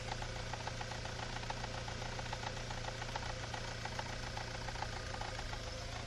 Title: Не понятный стук в двигателе